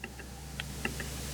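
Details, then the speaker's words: Citroen DS3 1.6 HDi: about five sharp, light, unevenly spaced clicks over a low steady hum, attributed to the door check strap clicking. "that's funny isn't it I can hear that that check strap clicking what a clown"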